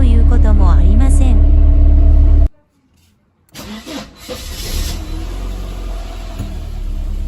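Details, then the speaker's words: Mercedes 190E W201 (M102) cold start without the accelerator: the engine catches, revs flare sharply then fall, with a metallic noise, before settling to a higher warm-up idle. "Cuando enciendo el motor, la velocidad del motor salta por un momento y luego cae rápidamente. Cuando la velocidad del motor aumenta, también se escucha un ruido extraño (sonido metálico)."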